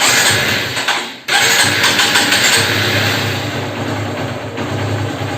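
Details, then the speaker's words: Bike self-start motor after repair and reinstallation: quick starter whirr, engine catches at once and settles into a smooth, steady idle. Normal electric start and idle. "Start ஆகுது. Motor வந்து பக்கம் வேலை செய்யுது. நம்ம கரெக்டாக வேலையை முடிச்சிருக்கோம்."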